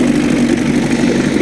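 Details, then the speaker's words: 5 hp Evinrude Angler outboard after a major refurbishment with new wires and plugs. Started straight up and idles with a steady, even burble while pumping water, no misses or knocks; clean, healthy normal idle. "run very beautiful here we are beautiful beautiful idle on it pupping water pupping water out there"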